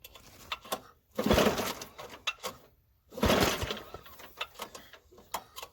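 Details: Toro 521 snow blower after recoil starter install, primed, at half throttle, choke stuck and fuel dumping from the carb: two long rasping rope pulls, the engine turns but never catches.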